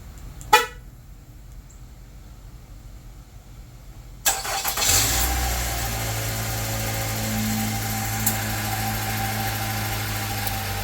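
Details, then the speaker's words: 2018 Nissan Altima after crankshaft sensor replacement and exhaust reinstallation: quiet, brief crank, engine catches and settles into steady even idle; sounds good, normal start and idle. "sounds good."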